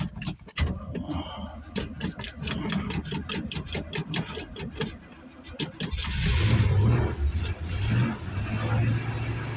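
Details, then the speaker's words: 1985 GMC 3500 wrecker, 350 Chevy V8, cold winter start with little choke: several seconds of ragged cranking, then an uneven labouring idle that won't settle until warmed up; rough cold idle from insufficient choke. "She won't idle till she warms up a little bit, unless I want to go out there and mess with the choke a little bit."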